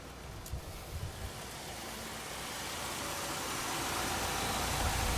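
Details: 1964 AMC Rambler Classic just after oil and filter, air filter and a dry new fuel filter were fitted, primed with the gas pedal: a few cranks catch into a steady, smooth idle with no misses or knocks; normal idle.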